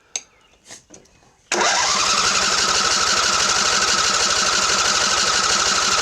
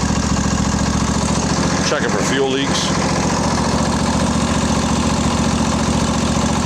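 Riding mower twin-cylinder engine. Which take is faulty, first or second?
first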